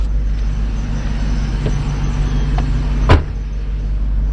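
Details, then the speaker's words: Old Mercedes 500SL on old gas, started and idling with intake off: smooth, steady low hum, no misses or rough pulses, one brief bump; purrs like a kitten, normal idle. "she purrs like a kitten too guys she does we got to burn all that old gas out of her but she runs great"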